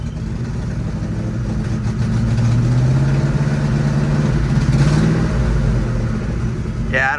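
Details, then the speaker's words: Supercharged engine accelerating gradually: revs climb unevenly with a wavering bogging drone, as if about to stall; owner suspects the refitted stock injectors aren't supplying enough fuel. "gradually stepping on it sounds like it wants to die i think it's because i put these stock injectors back on and it's not getting enough gas"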